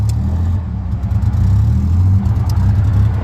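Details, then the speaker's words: Chevy Impala six-cylinder on the highway in limp mode: deep, uneven, lumpy rumble as if cylinders keep dropping out, possibly running on three, with brakes fading. Misfire; owner wonders about rod knock. "I don't know how many cylinders he's running on, but I can definitely tell you it's not all six."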